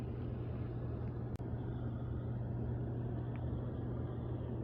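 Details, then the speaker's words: Hot tub jet pump on the previously dead side, rechecked after bad capacitor replaced and panels refitted: even, steady low hum and water rush with no straining buzz; motor running freely and healthy. "So let's try the ones that didn't work last time first. And you see they're working. This side."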